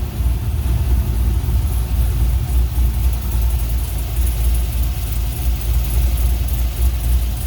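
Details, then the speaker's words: 1980 K10 LS swap, Summit 150153 crate motor, LS6 intake, Holley Terminator X, 1302 LS1 headers, Flowmaster FlowFX mufflers: deep even V8 burble at warm idle with electric fan whoosh, no knocking; normal idle. "but yeah listen to that summit crate motor man"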